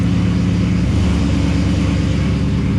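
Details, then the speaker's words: 1966 Buick Skylark with 6-liter LS V8 and 4L60 transmission, 2.91 gears, in gear reading 12 mph: driveshaft turns but car doesn't move, heavy low rumbling churn like hungry lions; rear differential failed after burnouts, replaced with Ford 9-inch limited-slip 3.25 gears. "sure enough the drive shaft's turning but the car doesn't move and it sounds like a den of hungry lions"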